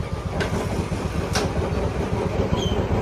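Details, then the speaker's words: Royal Enfield Classic 350 after a cylinder-head repair for a tik-tik noise from worn valve guides: it starts on a half kick and settles into a steady, even single-cylinder thump at slow idle with no top-end ticking. The repair is successful. "एक बार start करके आपको आवा सुनाते हैं half kick में गाड़ी start और sound बिल्कुल"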